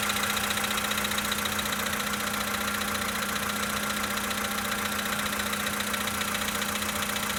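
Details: 2013 VW Polo Sedan, 65,000 km, right after a cold start: steady idle with a regular knock about four per second keeping pace with the engine; engine knock at cold idle, source unclear.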